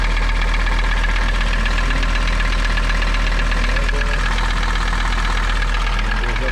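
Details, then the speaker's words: Mercedes 300TD diesel at a deep, steady idle after fixing a no-start traced to bad connections, not the glow plug relay. Even beat near 160 a minute, no stumbling or misfire. "running a lot better already so we're still working on our uh climate control climate control run running so much nicer now nice idle"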